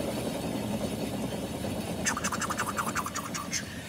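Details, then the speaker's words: Ford Falcon running factory dual-tank LPG, heard rolling: low rumble giving way to rhythmic scraping helicopter-like beat about three a second; bad wheel bearing, risky at sustained highway speed. "Yeah, mate, that's a bad wheel bearing, that beat. That doesn't really worry me too much doing 60 k's an hour, doing short trips around like I do."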